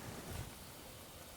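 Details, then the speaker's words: Barra-engined speedway car, running hot and hammering with the rocker cover gasket missing: a soft, steady hiss like light rain as coolant leaks at a radiator hose joint, on the metal pipe, suspected rusted out underneath. "You got a leak in the radiator hose. Is that what that noise is? Yep. Looks like on that joint."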